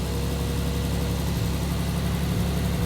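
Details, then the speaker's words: Triumph TR6 converted from carbs to Patton Machine TBI fuel injection, cold start: steady, even fast idle with smooth low drone, no misses or knocks; high rpm because the IAC valve is open at 64 steps, now starting to drop. "so the RPM is so high initially because of the iic valve it's still open now it started dropping"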